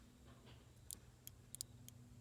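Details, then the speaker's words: 2013 Nissan Sentra shifter: in park the stick rises and presses the park switch, giving a few light, sharp clean clicks over a faint hum; normal switch action that tells the car it is in park for the brake shift lock. "So when this is in park, this shoots all the way up. And when this stick shoots all the way up, it actually pushes. I don't know if you can hear it click."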